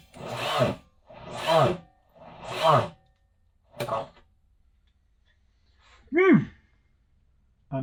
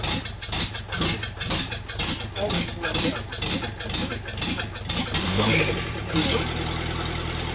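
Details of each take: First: Kubota V2203 diesel on a stand (Jeep CJ-5 swap candidate), starter jumped at its terminal: short labored bursts under a second, turning sluggishly without catching; suspected poorly charged battery or poor jumper cables. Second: Kubota V2203 diesel, a candidate swap into a 1959 Jeep CJ-5, on its first fire-up on a frosty spring morning: about five seconds of cranking, then it catches into a steady, even idle, turned up so it doesn't surge.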